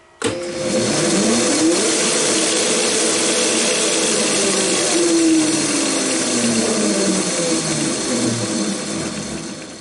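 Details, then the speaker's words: Old screw machine's motor, run on a VFD after sitting a long time, spins up with a steady whine wavering under load for several seconds, then winds down as the VFD trips shortly after start; owner suspects a dragging clutch loading the shaft, unconfirmed. "give it a few seconds nope there it goes well it was worth a shot anyway"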